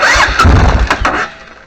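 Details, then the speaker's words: Suzuki Intruder VS800 with new battery, cranked by crossing the solenoid terminals directly: strong chugging crank with uneven compression pulses, fading after about a second; starter motor turns engine fine, but solenoid doesn't look to be working. "yeah the bike turns over with that but it doesn't look like that solenoid's working"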